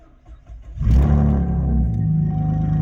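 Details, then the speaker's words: 2012 Chevrolet Camaro RS stuck for months in anti-theft mode (no crank, one click), parked since Thursday. After clearing codes with a code reader and using the original key, a short crank fires with a rev flare and settles into a steady idle. "It started right on up. Hopefully it started up."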